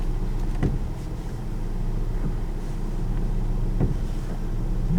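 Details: 2004 Mustang, about 207,000 miles, after replacing the intermediate shaft with a used part: low rumble with irregular dull pops and creaks every second or two when steering; noise persists, so the column was not the cause.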